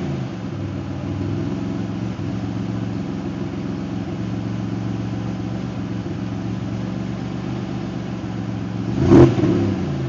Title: Idle raised, L67 timing table, exhaust leaks fixed.